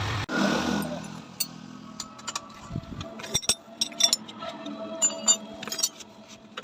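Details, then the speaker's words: Motorcycle at speed with worn chain kit, sprocket teeth cut down: rapid metallic clinking rattle over the engine that comes and goes with throttle; worn chain and sprockets, fix is a new chain kit. "भी हमारी bike की चैन kit खराब हो जाता है यहां पर जो दांत आप देख रहे हैं यह कट जाता है कटने के कारण से हम बाइक को जब मारते स्पीड भगाते हैं कड़कड़ हट आवाज आता है बहुत ही ज्यादा"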